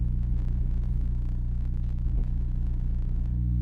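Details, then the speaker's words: Pioneer GM-DX871 amplifier on a 1-ohm dyno test bench, fed by a car stereo head unit with a new RCA wire, after it earlier cut out. A steady, unchanging low buzzy drone: horrible amplifier hum, though it still works at low power. "I mean, I got a horrible hum, but other than that, it's working so far, but that doesn't mean anything because it was working on low power before."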